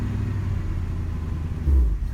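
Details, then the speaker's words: 1980 Chrysler Cordoba 318 V8, lean burn removed and converted to electronic ignition. Lowering idle from 2,500–3,000 rpm toward about 1,000: lumpy rumble surges, sags and stalls, then needs about 10 tries to restart; owner notes it happens with much fuel in the tank. "Yep, there it went. About, what, 10 tries to get it to fire back up."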